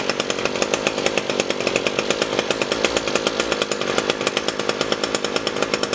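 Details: Echo SRM-225 straight-shaft trimmer, wouldn't run after storage; after diaphragm and air filter replacement and hidden jet adjustment: high steady buzz, even crisp beat, no stumbling; normal running.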